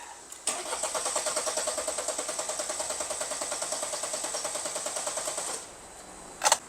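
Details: Mercedes-Benz E220 with a no-start and missing 5V sensor supply, cranked after unplugging the intake pressure sensor connector; steady starter churn about three turns a second for five seconds without firing; cranks but no start.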